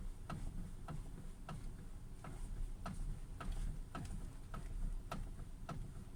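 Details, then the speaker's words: 2017 Hyundai Creta, stationary, turning the steering wheel: light sharp even ticks about every half second, a knock in the steering column that appeared recently. "на днях появилась вот такая небольшая проблема это стук в рулевой колонке при вращении руля стоячем положении автомобиль"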